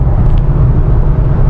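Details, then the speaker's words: Ford Mustang after transmission shop work, cruising around 80 mph in 6th gear: steady low road and drivetrain rumble with some wind, no rattling from underneath; the loose piece no longer makes metal-to-metal contact. "Guys, I think I'm at 80. I don't hear any rattling at all. You guys hear that? I don't hear any rattling. Going back up to 80. I hear some wind, but no rattling."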